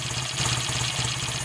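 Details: BSA A65T twin at idle, now firing evenly on both cylinders with no dropouts after swapping in a new BP6ES plug, new plug cap and a new ignition coil with HT lead to cure a one-cylinder misfire.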